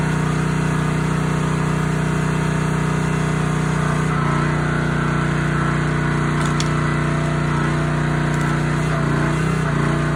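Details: Honda GX160 SplitFire wood splitter after carb clean and oil change for bogging and stalling; steady, even drone under splitting load, no surging or stumbling, runs healthy.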